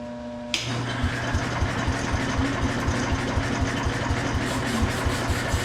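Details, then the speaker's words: Ford 100 tractor (auction buy) cranking on a questionable battery, carb not yet cleaned: the starter whirs in a steady pulse with weak odd pops but never catches; spark is confirmed, so it is not getting fuel. "yep they're sparking so we just got to get gas to it"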